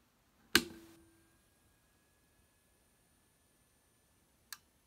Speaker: So that 9.5K whine seems to be coming from inside the unit, and it appears to be coming from the right hand side of the unit.